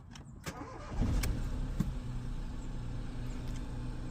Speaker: so I'm convinced that it needs a new stter motor yeah cuz that little click click it's a bit of a setup